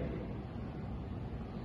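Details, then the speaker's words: O General 3.75-ton ducted split AC, indoor unit heard at full speed (fourth of four speeds) during test run, bathroom door not yet fitted: soft, low, even air rush, no rattles or whine; normal, quiet operation. "طبعا مثل ما شفتوا انتم هون نن شغاله الماكينه على الفل سبيد هي السرعه الرابعه تمام"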